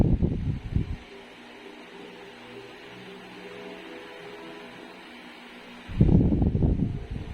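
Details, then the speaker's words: Reassembled living-room wall fan after reconditioning and lubrication, tested on speed 1 with front grille clipped on: low, steady hum with strong airflow, the former propeller knocking gone, shaft play fine; normal running. "Ang lakas ng hangin, no. Ayan. Wala na yung kumakalampag, oh."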